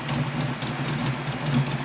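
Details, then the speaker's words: Ford Mustang Foxbody cam motor after correcting wrong MAF, IAC plugged back in: steady even idle at 900 RPM, smooth low hum, no stumbles or misses; smoothest idle yet. "900 RPM sounds pretty good with a cam motor, as you can hear. And to be honest, I don't think I've heard this car idle this nicely and this consistently, ever."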